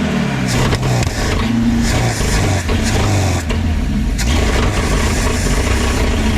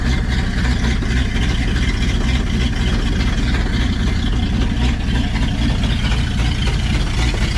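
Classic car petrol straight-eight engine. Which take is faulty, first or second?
second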